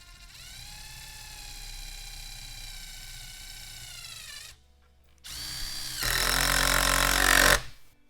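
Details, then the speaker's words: Impact driver driving a screw using a 1/4-inch hex-shank bit holder: a motor whine, then a loud, harsh, rapid hammering as the screw seats. The impact mechanism is working normally and is much louder than a pulse driver. "can probably hear how loud that was."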